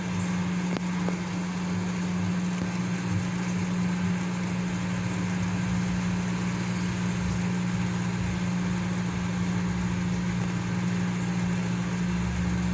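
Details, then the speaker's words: Consul CM020 20-litre microwave after magnetron replacement (previously loud noise and no heating), testing with glass of water. Steady even low hum, no rattling or loud buzzing; former strong noise gone, normal running. "e ele não tá fazendo mais aquele barulho forte e tá fazendo barulho normal dele"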